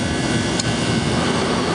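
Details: Condenser fan running steadily with even rushing air, no rubbing, rattling or bearing whine, while the compressor runs and head pressure climbs toward 250 psi during a fan cycling control test after replacing the faulty control; normal condenser fan operation.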